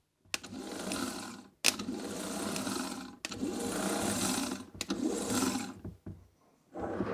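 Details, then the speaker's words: Trabant P60 that wouldn't start (solenoid clicked, had to push start): starter motor bench-tested with jumper cable, short bursts of steady whirring, spins freely and engages sprocket; starter works, poor connections suspected as cause. "as you can see it's turning fine so that is working"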